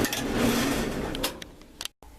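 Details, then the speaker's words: Clothes dryer that would not start (timer clicked), testing whether the fuse was the fault: steady motor hum with drum rumble for about a second before easing off; dryer motor starts and runs normally. "Yeah, as you can hear, that was the problem. The machine is running again."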